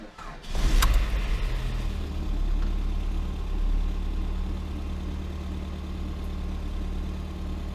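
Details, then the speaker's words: Lada Granta 126 engine, first start after full rebuild (bored block, 82.5 pistons, new bearings, timing kit, valves, guides, new plugs): cranks, catches, settles into low, uneven, heavy idle—labored running. "Все, первый запуск. Ух ты, как тяжело-то."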